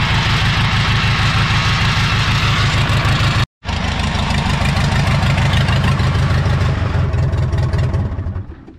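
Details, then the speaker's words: 1980s Komatsu D31S track loader, Cummins 4D105-3, sitting 10+ years, restarted after bleeding the injection lines and testing the shutoff. Steady, even diesel idle with a firm low beat and no misses, winding down cleanly at shutoff; healthy. "Beautiful. This is proof that just because an engine doesn't turn over doesn't mean you should throw in the towel."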